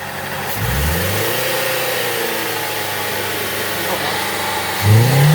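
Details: 2010 Nissan Serena C25, MR20DE petrol engine, P0300 multiple misfire after exhaust restriction repaired: revs up twice with lumpy, uneven beat; misfire from one low-compression cylinder with 55% cylinder leakage.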